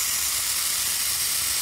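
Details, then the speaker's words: Taiwan paintball regulator (OP 1800) checked before fitting to the unit, with the pin confirmed removed: a steady, even hiss of escaping air with no sputter or pulsing, so the regulator vents normally. "Udaranya keluar. Ya, dengar ya. Seperti itu. Jadi udaranya sudah keluar."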